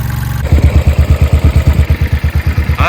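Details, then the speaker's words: 1968 John Deere 140 H3 hydrostatic tractor, not run for 20+ years: low, even thumping at about three beats a second, running smoothly though a little smoky; normal running. "It actually runs pretty good. A little smoky. Who knows how long it's been since the last time it ran. That sounds pretty good."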